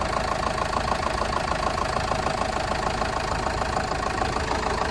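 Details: Diesel horsebox that lacked power on hills, mid-service with no engine lights on: morning idle with an even, regular clatter of about 200 pulses a minute, no hunting or misfire. Normal diesel idle.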